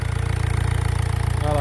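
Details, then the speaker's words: 1.6 HDi diesel after the loose, leaking injector was retightened: a steady, even low clatter with regular firing pulses, no stumbling or hunting. "ça c'est un problème de l'injecteur qui été desserrée voulait bien resserré"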